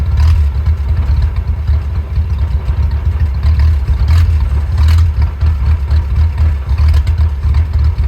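Low, lumpy idle with an uneven beat and occasional stumbles, the engine surging and sagging instead of holding steady; rough idle.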